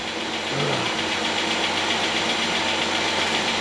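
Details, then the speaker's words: 2008 Chevy Equinox 3400 engine on first start after head gasket replacement: light quick ticking, about four taps a second, over steady idle from a still-dry valve train; expected to quiet as oil circulates. No check engine lights. "she's tapping a little bit but the valve train is a little dry we'll give that allil time circulate through there and hopefully work out any of that noise"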